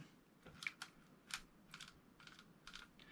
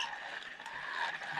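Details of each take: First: Silstar Edge 70 saltwater spinning reel, 4.0:1 gear ratio, after added grease and oil: light crisp uneven clicks about two a second, anti-reverse dogs engaging normally by gravity, much quieter but not perfect. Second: Silstar Edge 70 saltwater spinning reel, 4.0:1 gear ratio, ball bearings, cranked by hand: steady whirring gear noise with a faint high squeak from the handle; the bail trip is a bit noisy.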